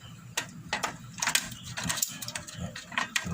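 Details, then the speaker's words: Portable gas stove after repairing a blocked, non-lighting gas supply and refitting the igniter bracket: sharp, irregular snapping igniter clicks with faint gas hiss, showing gas now reaches the burner; normal igniter clicking. "Nah kalau sudah ada suara itu menandakan gas ini sudah sampai di sini"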